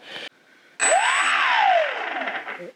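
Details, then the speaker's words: FX-61 Phantom stock 1200KV brushless motor, bench run through INAV: motor whine climbs and falls with a gritty rasp underneath, loud; owner suspects a worn bearing, motor replaced with a Racerstar 950KV. "and you can hear how loud it is um it sounds like a bearing or I don't know but I'm not risking that anymore because it's not something you want to fail while you're at some distance away from home"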